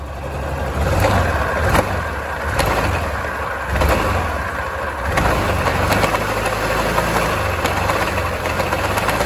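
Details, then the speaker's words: Yamaha Grand Filano scooter jerks and taps loudly from belt cover area when pulling away, sharp irregular taps about once a second; inner final drive shaft bearing suspected failed from a leaking seal losing gear oil; final drive bearing knock. "คาดว่าลูกปืนด้านในนี้น่าจะชำรุดแล้วล่ะลูกปืนด้านในแกนเฟืองขับของเฟืองท้ายเนี่ย"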